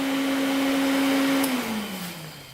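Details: 500cc Honda-engined custom pulling tractor that sat unused, powered via jumpers: steady clean motor hum at one pitch, then sliding lower as it spins down; cooling fan runs properly, though starter solenoid doesn't work.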